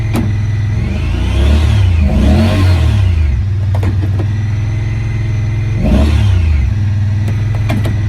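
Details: 2017 Honda Pioneer 1000-5 at 1200 miles with check engine code 9-2. After starting, revs surge up and sag back twice and never settle: a hunting high idle. Cause was factory over-crimped wires broken inside the insulation at the IACV plug; fixed by replacing and recrimping the plug.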